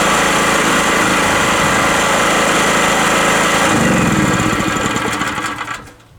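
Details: Rotakt generator warming up with no load after its first start, choke at run, 232 V output: even, buzzy small-engine drone with a steady beat, no surging or hunting, then winding down; normal idle.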